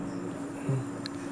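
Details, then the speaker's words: Hyundai Venue turbo petrol, previously knocking with cylinder 1 and 2 misfires and a shorted No. 1 spark plug, now starts smoothly and idles quietly with no knock and no check engine light. "गाड़ी एक smoothly start हुआ। Check engine light भी नहीं है गाड़ी में।"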